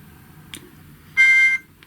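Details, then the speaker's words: GHD Chronos S8M261 hair straightener, reassembled after teardown, gives a short, shrill beep with a buzzy, crackly edge at switch-on; buzzer touches the on/off button and vibrates it, a design fault. "See, they've still got that crackling, vibrating noise from this switch being too close to the buzzer."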